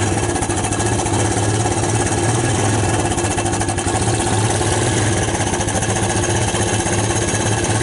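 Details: ATV single-cylinder after AC-to-DC CDI conversion and new wire harness fixing a no-spark fault, choke on: rapid even chugging with steady beat, no misses or rattles; normal running.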